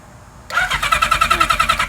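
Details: 1977 Kawasaki KZ1000A with cleaned carburetors and new spark plugs on jumper battery: quick even cranking around eight beats a second, never fires; no spark found, points to be checked; crank no-start.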